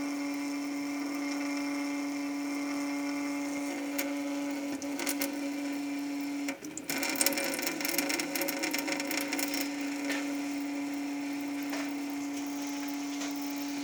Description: Amazing Sink Resonance/viscoelastic: Interesting phenomenon. Something that is constant (the stream of water) seems to be causing resonance.